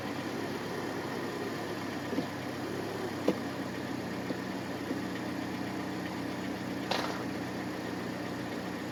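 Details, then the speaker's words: Hyundai after repair of failure to shift out of park: steady even idle with smooth low hum and a couple of faint clicks; engine idles cleanly. "Okay, now let me get. Sounds good. Let's see. Does good."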